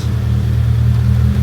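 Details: 7A-GE-swapped Toyota Echo heard from behind at the tailpipe, fresh exhaust: a deep, steady rumble with an even beat and no popping or rattles. Normal exhaust note.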